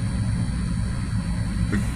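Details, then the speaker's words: 2014 Dodge Durango 3.6 Pentastar after oil cooler replacement, at operating temperature with thermostat open and fans on, 48 psi oil pressure at idle: smooth, even low rumble, fans whirring, no knocks or ticks; normal warm idle. "engine fans are on I can hear them running um and the thermostat has opened so that's got to be operating temperature that's where the vehicle desires to be"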